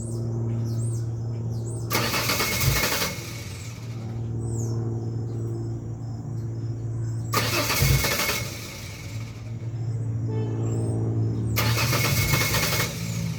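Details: 2001 Ford Ranger XLT 4.0 V6, morning start: repeated starter cranking bursts, about a minute needed, engine not catching; runs fine once started, despite new fuel pump, injectors, filter, plugs, wires, coil pack, regulator, crank and cam sensors, compression checked.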